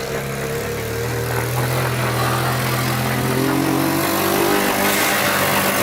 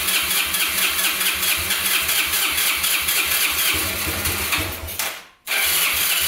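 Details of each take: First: Abandoned Yamaha Breeze ATV on a cold Wisconsin day, test-driven after fixes: the engine pulls up smoothly through a rising rev and holds an even note under load, with no misfire or knocking. It runs, drives and all gears work; normal running. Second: Abandoned Yamaha Breeze ATV on a cold day, started with gas poured into the carburetor and the air filter off: it catches and revs with an uneven, hunting beat, then sags and nearly dies. It will not hold idle; owner suspects spark plug, missing air filter, choke or air leak.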